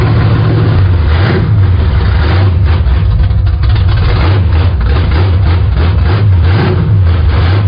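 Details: 1974 Plymouth Scamp V8 after a new valley pan and intake reinstall: loud, deep, steady rumble with slight lope and small throttle blips; runs strong and even.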